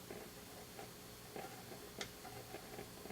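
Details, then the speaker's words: 1950 RCA 9-X-561 vacuum tube radio with 8-inch speaker, power-up during troubleshooting, rectifier glowing: steady hiss with irregular scratchy ticks and pops. Speaker crackle, cause not yet found. "not getting anything turn up the volume i'm hearing scratchies"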